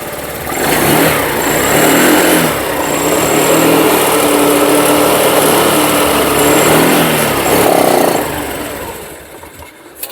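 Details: Honda Activa 6G BS6 scooter, 26,575 km, after fixing an unusual ECM current fault, jumped from another battery: clean start, steady idle picking up smoothly on throttle without misses; runs healthy.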